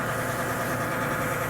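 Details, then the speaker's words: 24 V 150 W shower water booster pump; steady buzzy rattle over the pump hum; sounds like the impeller inside may have loosened with use. "which is a sound similar to the propeller inside It started to become loose after using it for a while. With a sound like this, I recommend that you try another brand."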